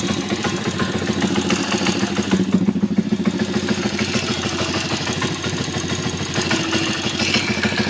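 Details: YX140 engine on right side, clutch side, at very low rpm: uneven clattery knocking over a loping idle, about three beats a second; extra noise disappears when revs are raised; engine knock at low rpm.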